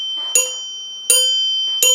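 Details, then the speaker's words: 1930s NuTone Time-Chime 2-note door chime base during reassembly, brass washers added under acorn nuts: three strikes on the tone bar, each a short muffled ring; bar clamped too tightly, nuts backed off to let it ring. "doesn't sound good at all that sounds terribly so we'll back these off just a little bit"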